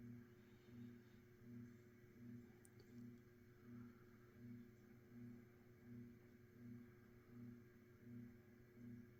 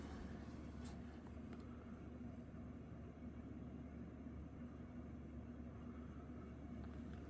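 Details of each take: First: Mid-to-late-1980s Saff Enterprise Flush Polo 52" hugger ceiling fan, 3-speed and reversible, on low speed (a bit fast): a soft, steady motor hum with harmonics and a gentle swell about once a second as the blades turn. Normal fan motor hum. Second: Mid-to-late-1980s Saff Enterprise Flush Polo 52-inch antique brass ceiling fan on high speed: steady low motor hum with a dry, rough rustle of worn bearings audible over it.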